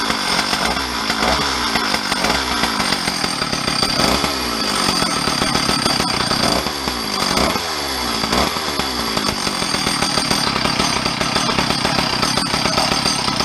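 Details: Stihl 034 chainsaw, a garage-sale saw parked 10–15 years, muffler slightly cracked, first start: a crisp high buzz revving up and dropping back cleanly several times, then holding steady, with no misfire or bogging. Runs healthy; the owner suspects wires had been shorting.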